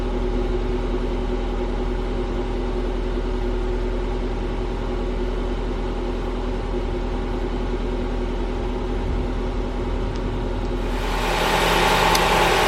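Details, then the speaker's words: 1997 Honda Prelude BB6 H22A, M2B4 transmission, after new distributor cured crank-no-start: smooth, even idle with steady low hum, no misses, knocks or ticks; running cleanly. "so there we have it we have success the car turned on beautifully it's running really nicely now"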